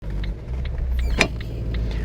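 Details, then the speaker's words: Ford Focus Mk1 driving, light dull knocks about every half second over road rumble from the rear sway bar, loose because its bushings are worn out and won't tighten; sway bar bushing knock, fixed by replacing the rear anti-roll bar. "so if you can hear that knocking that knocking is coming from the rear sway bar basically it's not tied down properly"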